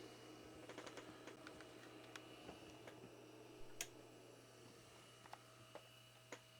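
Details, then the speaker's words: Amiga 2000 with old SupraDrive SCSI hard drive: faint steady low hum under keyboard clicks as the drive keeps spinning even though the computer is turned off, running evenly and normally. "and you can hear the old super Drive is just sitting there spinning away even though the computer's turned off the driver is still on"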